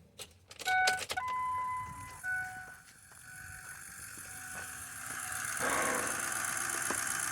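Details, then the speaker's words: 2003 6.0 on a cold morning, fuel pressure gauge fitted, key-on prime reaching only about 40 psi; chimes, pump whir and a rising gurgling hiss as air is pushed through the fuel lines; air in fuel system, pump one-way valve suspected of leaking. "So, there's definitely air in the system. Uh the fuel bowl was mostly full, but all that noise you're hearing right now, yeah, that's that's air."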